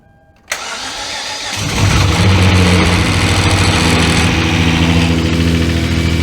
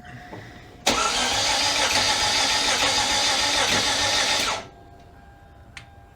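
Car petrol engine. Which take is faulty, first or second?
second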